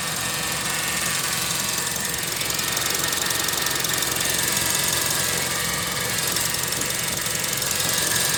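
Fast, fairly even ticking with a sharp hissy edge over the running engine, about four per second; the source is unclear.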